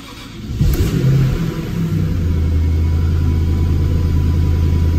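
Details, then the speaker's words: 1997 Jaguar XK8 V8 (12,000 miles) after replacing a bad ignition module that caused misfire on 4 of 8 cylinders and erratic shifting: cranks, catches quickly and settles into a smooth, steady low rumble with no stumbling; normal start and idle. "So far, so good. Nice and smooth."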